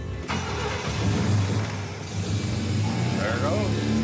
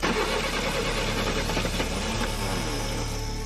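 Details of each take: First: 1966 Pontiac Tempest with a rare overhead-cam inline six, still carbureted before its EFI conversion, long dormant, with 12.3 volts at the battery: it cranks, catches right away and settles into a steady, even idle with no misses. Starts and runs normally. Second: Long-dormant 1966 Pontiac Tempest overhead-cam six, carbureted, first start attempt: ragged cranking with a warbling, squealing starter whine, then it stumbles to life running rough. Starter noise, cause unknown.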